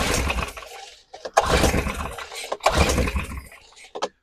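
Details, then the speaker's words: Stihl BR600 leaf blower that starts sporadically then shuts off, carb freshly rebuilt: several hard pull-cord strokes, rough rasp as it spins but never fires; inline spark tester shows no spark to the plug. "All right. So that's a problem. That tells me I'm not getting any spark to the spark plug here."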